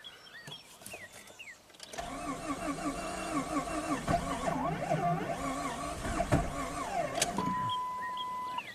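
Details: 2002 Jeep Grand Cherokee 4.0L inline-six, rebuilt engine, clear-flood crank with pedal floored, no cam signal at PCM: starter spins about five seconds with uneven, lumpy rhythm, never catches; crank no-start.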